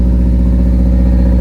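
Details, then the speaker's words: Honda EF hatchback with D16Z6 swap and new cheap open exhaust dumping over the control arm, first start without coolant, holding about 82–83 psi oil pressure: loud, deep, steady roar, smooth and even, no knocks or rattles; running normally. "Yep. That sounds pretty good. Let's go. Yo, that sounds pretty good. I can't run it too long because we don't got coolant in there, but we're holding oil pressure."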